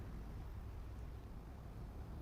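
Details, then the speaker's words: Electric fan, reassembled after worm gear replacement fixed noise from the back: only a low even hum, no clicking or grinding from the rear; normal quiet running. "Paandarin ulit natin. Oh 'di ba? Perfect. Wala ng tunog ang likod."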